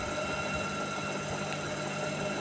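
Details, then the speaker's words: IFB Senorita Aqua VX front-load washer after drum/belt repair for knocking sound: even drum rumble and smooth whir, no thumping, rubbing or squeal, fast spin; knock gone, runs normally. "நீட்டாக ஓடுது, எந்த கம்ப்ளைண்ட்டும் கிடையாது. Spin நல்லா ஃபாஸ்ட்டாக ஓடுது, அந்த issue இல்லை."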